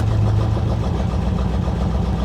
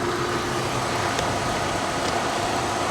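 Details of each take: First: 1985 Chevrolet Corvette C4 Greenwood at an insurance auction yard, most gauges dead and coolant low: low, lumpy, uneven idle with no smooth rhythm; runs very poorly, cause not pinned down. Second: 1985 Chevrolet Corvette C4 Greenwood at an insurance auction yard: even, steady engine hum at idle with no knocks, misses or squeals; runs like a top, alternator charging nicely.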